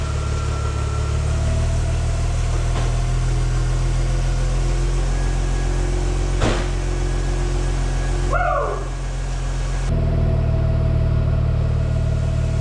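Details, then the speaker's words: Mazda RX-8 rotary engine, just rebuilt and reinstalled, starting after a deflood procedure: a steady, smooth low hum at an even idle, with no knocking or misfire and one faint chirp midway. Normal idle. "runs! F&A! Well, that was a bear!"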